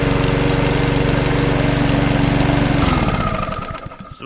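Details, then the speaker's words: Lawnmower with a primer bulb and broken throttle arm: single-cylinder engine chugs steadily, slightly uneven, then cuts out and coasts to a stop; owner thinks it needs a good service, probably the carburettor. "runs that just wants a frock I will sort out and a good service as well probably carburetor"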